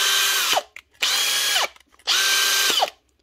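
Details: Makita DHP481 cordless drill after replacing a Loctite-seized chuck with a new chuck: three clean bursts of high, even motor whine with quick spin-up and run-down; runs smoothly.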